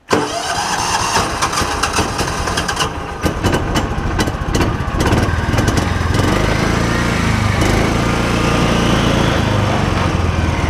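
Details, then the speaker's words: John Deere Gator, previously misdiagnosed as a carb problem: ragged cranking with scattered weak firings for several seconds before it catches and idles; hard starting from weak spark, fixed by replacing the Kawasaki ignition coil. "when I try and crank it it'll probably start right up here but like it just will not start"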